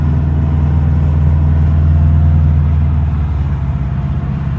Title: Subaru Forester XT ej255 exhaust leak or wastegate flutter?